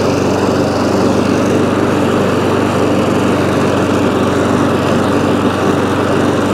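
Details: ATCO lawnmower engine after deck-crack repair, running at a steady speed with a constant buzzy drone, no stumbling or surging; runs smoothly, though the drive reportedly won't disengage (cable suspected worn or rusty).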